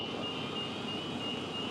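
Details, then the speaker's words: Newell Coach front curb slide room extending after its seal vacuums: even, steady whirr over the generator's drone with no clunks, grinding or straining. A couple of lock clicks come at the limit before the floor raises; normal operation. "and once the slide hits the limit you'll hear a couple clicking noises where the slides locks are going into place and then the floor will start to raise"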